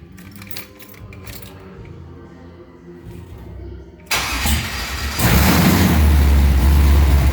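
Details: LS-swapped Monte Carlo SS G-body, first fire-up after a low-oil-pressure fix to check the pressure, no shavings found at the cam or filter: a quiet lead-in, then the V8 catches and settles into a deep, even idle with no knocks; normal idle.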